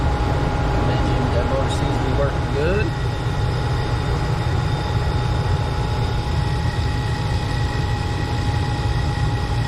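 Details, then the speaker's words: Furnace with a newly replaced blower motor (the old one had seized), flame lit: steady low blower rumble with an even, constant hum and no knocks or rattles. Furnace running normally. "good flame going low is running like it should seems to be working"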